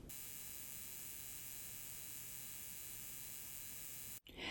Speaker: It has like this high-pitched electrical buzzing noise, which, you know, I really didn't expect because it's memory.